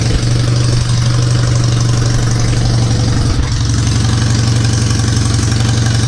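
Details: Citroën 2CV twin after static timing set and coil polarity corrected, carburettor stood empty 20 years: low, even thrum with steady firing and no misses or bangs, running cleanly at idle. Normal running.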